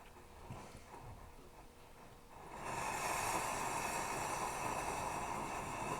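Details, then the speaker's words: Plumber's pot (smelting stove) burner during preheat of the generator. A soft hiss swells into a ragged, sputtering roar as it flames on raw fuel, not vapor, because the generator is not yet hot enough to vaporize. "It takes a while to get good and hot to vaporize correctly. We're getting there, we're getting there. The reason it's flaming is because it's shooting raw fuel, not vapor."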